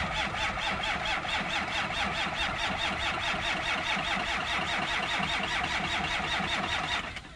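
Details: 1963 Ford F250 with Cummins diesel swap, cold start at 7 degrees with no glow plugs, grid heater or block heater: steady starter churn at about two and a half turns per second, cylinders not catching, then it stops. Long cranking without starting.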